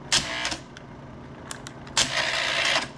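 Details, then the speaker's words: Bell & Howell Slide Cube RF60 slide projector, secondhand: slide mechanism whirs and clacks in two short bursts trying to reverse; it goes backwards only sometimes, intermittent reverse failure. "go doesn't want to go backwards very well it does sometimes but not all the time"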